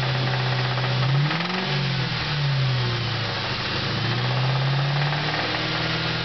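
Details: 4.6 V8 revving with a rough, uneven knock, loud only from 2500 rpm up after running really low on oil; still runs, drives and idles fine, cause unknown.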